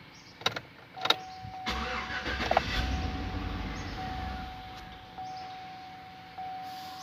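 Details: GMC Yukon with DTC P0335 crankshaft sensor code, rough idle, dying and RPM not rising, after ECM programming and key relearn: a few clicks, then it cranks, catches quickly and settles into a quiet, steady idle without stumbling. Normal start.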